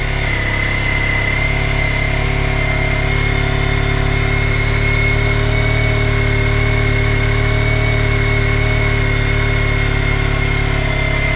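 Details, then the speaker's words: Honda ST1300 on stock exhaust, still cold, fast idle at about 2000 RPM: steady, even hum and smooth exhaust with no knocks or rattles; normal cold fast idle. "As you can probably hear, it's still a bit cold, so it's revving a bit high."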